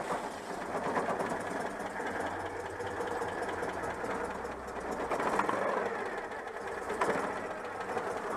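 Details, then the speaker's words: Citroën 2CV air-cooled twin: revs up well but idle swells and sags and won't stabilize; owner attributes the unstable idle to worn contact breaker points. "bon alors écoutez elles m'ont bien retour elle montrait très bien dans les tours même bon ralenti cas du mal à stabiliser mais bon je vous ai dit le rupteur est un peu hs"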